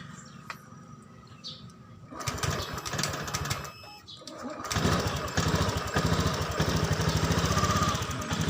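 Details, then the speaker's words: Honda Beat scooter with throttle position sensor unplugged, fault light blinking eight flashes: engine catches after a couple of seconds but idle surges and sags unevenly, can't hold idle; normal again once sensor reconnected. "Masih hidup tapi tidak normal ya Temen tidak bisa stasioner"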